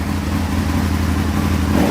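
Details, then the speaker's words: Aprilia motorcycle V-twin idling during a throttle cable tension adjustment: steady, even idle holds its beat through a throttle blip and settles straight back; normal idle. "there we go that's idling that'll idle okay"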